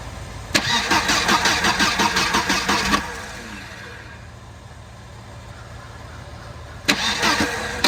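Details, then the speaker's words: 1992 Volvo 940 wagon, long stored, after plugging past the radio suppression relay, airbox off: rapid cranking, a gap, another burst, then catches and runs well with a slight misfire. "I feel like that's a running motor. Ladies and gentlemen. A little bit of a misfire. Actually, that sounds really good."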